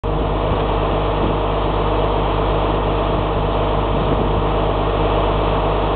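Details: 7.3L diesel cranking at a steady, slightly uneven beat for six seconds without firing; crank, no start.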